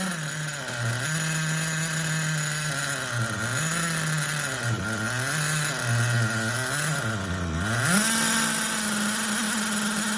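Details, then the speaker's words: Vintage Hyper7 nitro buggy engine on 20-year-old nitro fuel, freed after being locked at top dead center and warmed: high-pitched running with wavering, hunting revs; weak, with low but present compression. "So now the motor is, I mean, it doesn't have a whole lot of compression, but it does have compression."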